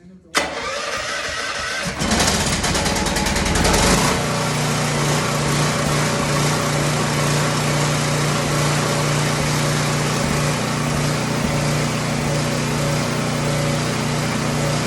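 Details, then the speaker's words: Emergency generator started indoors on a lift after three years unused and a fuel/oil service; noisy and smelly exhaust. Cranks, catches within seconds, then a steady, even drone with no surging or misses; normal running. "[Music] so it's pretty noisy and it stinks quite a bit"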